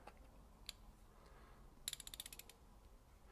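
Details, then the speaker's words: Ratchet: about eight crisp clicks in a quick burst over a quarter turn; coarse-toothed ratchet working normally. "And you can hear when I rotate, one will engage and the other one. Kind of like a click, clack, click, clack."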